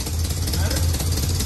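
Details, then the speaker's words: Chevy Mule (UTV) 350 V8 after new plugs and wires, having seemed to run on six cylinders or less before with a couple of grungy plugs: deep, even idle with a firm steady pulse and no dropouts, all cylinders firing. Normal idle. "That sounds way different, though. It literally sounds like it must have been running on six cylinders or less."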